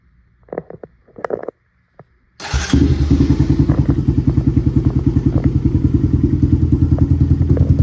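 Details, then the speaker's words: Honda TRX 250X with newly installed HMF Performance exhaust, carb not yet jetted: after a few clicks it fires into a deep, even, throaty single-cylinder idle of about three pulses per second; much deeper and more aggressive than stock. "Guys, that sounds so much deeper and more aggressive in person. I'm not sure how well the camera's going to pick it up, but this exhaust was worth every single penny."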